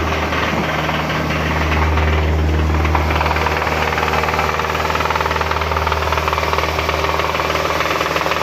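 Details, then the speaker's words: Hyundai Sonata 2.4 being revved: loud, fairly regular knocking about three per second from deep inside the engine; timing chain, valves and guides were planned, but the mechanic suspects the piston assembly, unconfirmed. "Приехала очередная машинка со звуком, со стуком в моторе."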